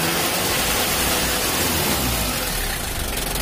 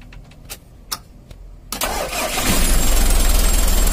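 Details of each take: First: Mitsubishi L300 diesel with thick white smoke that vibrates at 2500–3000 rpm, held at raised revs: a harsh, crackly, rough, uneven beat caused by valve clearance out of spec and an air filter clogged by the damper. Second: Mitsubishi L300 diesel with white smoke, after valve clearance adjustment and clearing an air filter intake blocked by carpet/insulation; fires after clicks, steady clatter, revs rise and fall evenly, runs clean.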